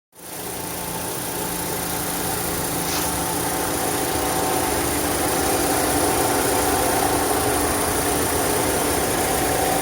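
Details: 2011 Chevrolet Cruze 1.8 at 207,000 km, idling: steady idle with a gritty grinding hum from the engine, sometimes louder and usually worse when cold; water pump, serpentine belt and tensioner already replaced, cause unknown.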